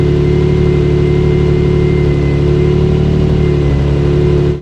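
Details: Nissan 350Z after fixing a bad exhaust leak and replacing an O2 sensor that was cut in half. A deep, even exhaust drone with a steady rev and no ticking or puffing at the manifold; the exhaust sounds sealed and healthy.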